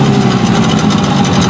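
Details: Hankai 9.9 outboard at idle after prep: spark plug gap reset from 0.6 to 0.9, thermostat fitted, cooling water flowing. Even, rapid putter with no misses or sneezes; originally it sneezed when revved sharply.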